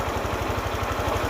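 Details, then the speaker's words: Honda Click 125i scooter idling after water pump replacement and idle re-setting: steady low thump with dry, gritty rattle from the clutch bell bearing; engine otherwise normal. "นี่คือปกติแล้วนะครับส่วนที่ดังคือดังในลูกปืนชามคลาสนะครับก็"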